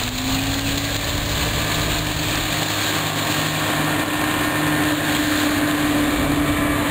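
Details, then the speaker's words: Outboard on a restored 1973 Checkmate boat with new transom, after a week of test runs, heard on a drive-by from shore: steady, even drone with a slightly rising tone over water and wind, no misses or knocks; running smooth and healthy. "but uh it drive is driving smooth and everything you know feels good trains them solid"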